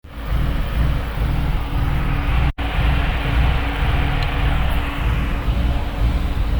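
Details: Ford BF Falcon XR6 Turbo six idling rough with an uneven, lumpy low rumble because the throttle position sensor is unplugged.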